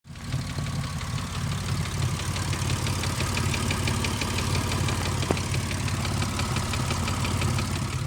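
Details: 2005 Ford Mustang idling: deep exhaust rumble with a light, steady tick on top; owner reports ticking and exhaust noise.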